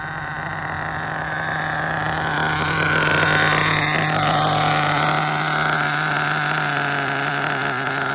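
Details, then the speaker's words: Mugen MBX5 1/8 nitro buggy that sat 14 weeks put away wet, being tuned on fresh fuel while warming up. The small engine buzzes at low speed with a soft, uneven burble. It is suspected to be running rich at the bottom end. "I could be wrong. No, it's riching up down low."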